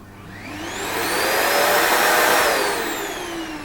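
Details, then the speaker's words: Nilfisk Extreme X150 vacuum that shuts itself off after 5–7 minutes, suspected overheating or faulty motor: smooth whine spins up, holds steady and winds down with no rattle, grinding or hesitation; motor sounds perfect, normal running. "okay that sounds honestly perfect so let's have a little bit of a look at the inside of the machine"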